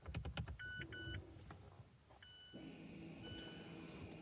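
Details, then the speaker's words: 2017 Mazda 3 rear electric parking brake put into maintenance mode (car on, accelerator floored, park brake button pressed three times): short whirring motor bursts, then a steady electric hum as the rear caliper motors retract the pads. "You can hear the brakes retracting."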